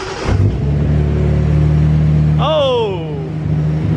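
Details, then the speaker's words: Datsun 280ZX turbo L28E six, first start on newly installed Haltech 550 ECU with coolant added and timing being dialed in: smooth, steady idle now held high (idle had been turned up because it wouldn't idle well), brief rev, settles back evenly. "better off that's that's better yeah she's idling high now so we turned the idle up a lot before because it wouldn't idle super well"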